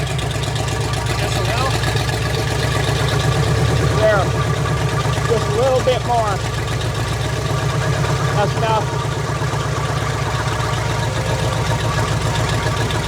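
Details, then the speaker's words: Freshly built fuel-injected Chevy 350 V8 just after first start on a water-cooled test stand, ethanol-free fuel, idle target 800 rpm, timing set to 10°. Deep, even burble with no misses or knocks, only faint squeaks on top: normal idle. "I just think that's incredible how a brand new engine started like that with that fuel injection on it."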